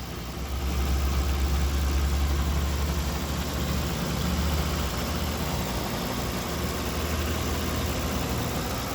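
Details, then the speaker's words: 2005 Mercedes-Benz SL65 AMG twin-turbo V12 (604 hp), idling just after start-up during a pre-purchase inspection. Deep, even idle, steady low rumble, no knocks, misses or ticks; exhaust sounds nice, no smoke or excessive smells. Smooth and healthy. "So it starts right up, no issues, sounds nice. Engine is nice and smooth."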